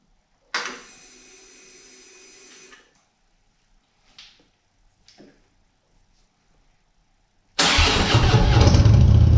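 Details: 2014 Harley-Davidson Touring 103-inch after vehicle speed sensor replacement and starter reinstallation, no trouble codes stored: short starter whir, a few light clicks, then the twin catches promptly and settles into a steady, even low rumble.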